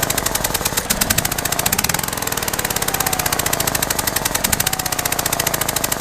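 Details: Mitsubishi Evo VIII started after sitting over a year in a garage; fast, sharp, even ticking knock over a steady idle that smells very rich; cause of the knock unknown.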